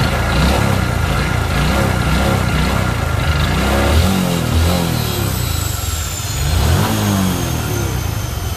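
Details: Honda Future 125 single-cylinder motorbike with a scored, seized cylinder. It runs rough and loud, revving up and down about four times a second under background music.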